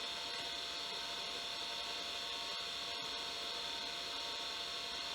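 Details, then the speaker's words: 1989 Acorn A3000 hard drive, microphone close, after repair of a drive that spun up and down then stopped; steady high whine at one pitch, starting straight away without cycling and loading the OS: normal hard drive spin-up. "and it's working I'm really really happy well unless it's a coincidence it started up straight away no issues no spinning up and down he loaded the operating system straight away and it seems fine"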